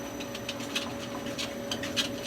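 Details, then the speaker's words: Lathe drive belt at about 200–300 rpm: light quick squeak-squeak repeating evenly over steady motor hum, considered okay; louder noise expected at higher speed — belt squeak at low speed. "can hear a little squeak squeak squeak squeak squeak that's cool that's okay"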